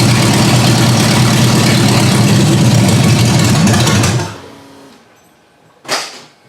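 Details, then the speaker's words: Ford Granada, first run after suspension and brake work, idle speed raised and mixture screws backed out; steady, even low idle at about four beats a second, running on its own, then switched off. Normal idle. "Alright, I got it to idle on its own. I bumped up the idle speed a bit and pulled out the mixture screws some."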